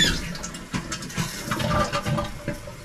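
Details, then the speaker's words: Toilet tank refilling on cold water after an off-grid cabin was re-plumbed with PEX: steady rushing and trickling water with gurgles. The cold supply and fill valve work normally. "Sounds like filling. Yeah, cold's working."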